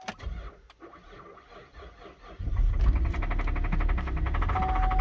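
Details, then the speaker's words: 2012 GMC Denali (called Acadia/Yukon/Envoy), all-wheel drive, 220,000 miles: engine fires and settles into a rough idle with a steady ticking knock; seller thinks the motor is bad, though it still drives. "but the motor is knocking i'll start it for you so you can hear it"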